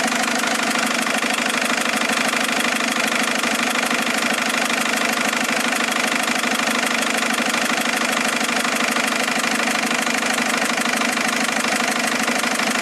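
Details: Mercedes A170 diesel after changing 3 injectors: steady, fairly regular tapping knock just under two per second over the idle; knocking at idle, cause unknown.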